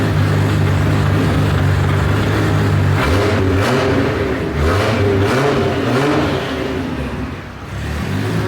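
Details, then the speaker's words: Rebuilt engine in S14 240sx drift car with a compression change and a lean tune, undyno'd, first run after rebuild: idles then blips sharply in neutral, revs rising and falling cleanly, crisp throttle response; oil pressure 70–75 psi at idle; healthy free revving. "man that thing sounds good oil pressure chilling at 70 75 psi at idle"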